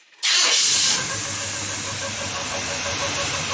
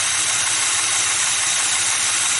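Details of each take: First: Rebuilt engine with Edelbrock carburetor: fires with a hissy roar and a faint steady whirring squeak over the idle, mistaken for a bearing; cause was the fuel pump diaphragm squeaking, not the bottom end. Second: Rebuilt engine with Edelbrock carburetor: the whining metal-on-metal noise was a squeaking fuel pump diaphragm. With that pump now disconnected because of water in the tank, an even, quiet, steady idle with a light hiss and no squeak or tick.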